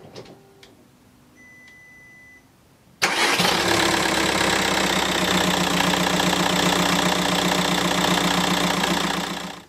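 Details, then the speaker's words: 2009 Audi A3 1.9 TDI Sportback, 167,000 miles, after replacing the failed dual-mass flywheel and the worn clutch: the engine cranks, catches and settles into an even diesel idle with no rattle; the earlier idle rattle from underneath is gone. "Okay, we're done, and I'm pleased to say it started up fine. Engine feels great, it's not rattling like it did before."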